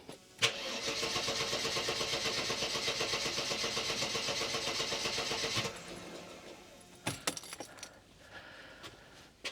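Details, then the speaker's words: Mercedes 300E W124, engine stalled after about 10 minutes running warm: starter cranks evenly about four beats per second for five seconds with no firing; cranks but won't start when hot, owner suspects heat-related fault. "And that's all it does, it just sits there turning over."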